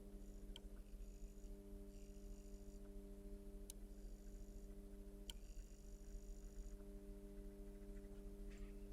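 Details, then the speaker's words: Vacuum tube amplifier on UK 50 Hz mains: constant low hum at 200 Hz (harmonic of the 100 Hz rectified supply) with 300 and 400 Hz tones and faint ticks; pressing the preamp drops the 400 Hz. Needs a filter capacitor recap. "so this is a 200 HZ hum which is four times sorry double rectified so we got 50 hertz to um main frequency here in the UK so rectified is 100 HZ and 200 is a harmonic of that"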